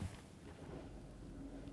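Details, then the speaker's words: Frigidaire/Electrolux Solero (Gallery) dishwasher in diagnostic mode, test 8 wash pump, after filling water: soft steady low hum, no grinding or rattle; wash pump energizes and runs normally. "Then I do hear my wash pump energize. Let that run for a minute. Just verify operation."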